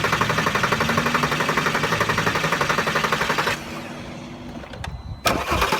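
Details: Volkswagen R32 starter churns the engine at a steady pace for several seconds, then stops with no catch or firing; cranks but won't start, fuel pump suspected.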